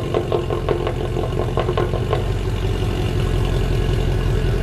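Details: W204 Mercedes C63 AMG V8 at idle after fix (long-tube headers, sport cats, new mid silencer and new rear): deep steady rumble with a few light early ticks, no drone or rasp; exhaust healthy.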